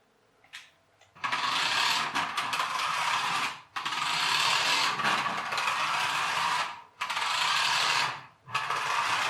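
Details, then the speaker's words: Rastar 1/24 RC Mini Cooper (27 MHz): rapid ratchety clicking throughout the run, stopping with the motor; a tooth is missing from a gearbox gear, found in the white grease. "it's still making the clicking noise it was making before I took it apart I didn't film it before I took it apart but it was making that noise I didn't notice any broken gears that's annoying there we are that's the tooth that's missing"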